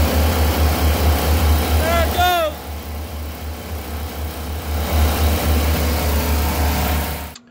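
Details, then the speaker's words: 454 Crusader marine V8 revved to about 4,000 rpm: heavy roar sags then cuts abruptly to silence; meter on ECU signal wire shows fuel pump relay power dropping out, source not yet confirmed. "He's gotta get the boat to about 4,000 RPMs to get the power, or the engine, to shut off."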